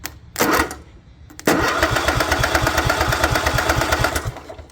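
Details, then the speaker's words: Craftsman lawn tractor, Kohler 16.5 engine, hot and ground run straight to the ignition module bypassing everything: starter spins steadily about three turns a second, never fires; still no spark, either the module box (spark advance) or the coil is bad. "I've run the hot and the ground straight to the module bypassing 100 of everything and still no spark so it's either that box or the coil is bad"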